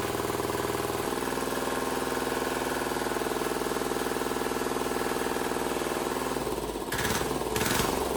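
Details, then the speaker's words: Wheel Horse 314H tractor swapped to a cheap Chinese single-cylinder diesel, on its first successful start after a no-start diagnosis and fuel priming: steady chug at about four beats a second with crisp injector knock. Running smoothly. "I I hell yeah man has this thing been a struggle I'm so glad to hear that thing run"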